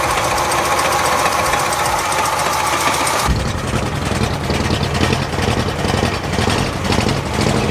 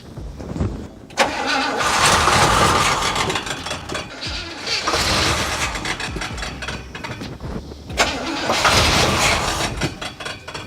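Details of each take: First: 1977 Oldsmobile 442 sat 30 years, after installing new fuel pump fed from a gas can: engine catches and settles into a loud, chuffing idle with fairly steady beat; normal running engine. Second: 1977 Oldsmobile 442 barn find, sitting 30 years, first test fire on starting fluid: uneven cranking bursts with ragged misfiring that catch briefly and die; cranks but no start, not getting fuel, fuel pump not working, later replaced.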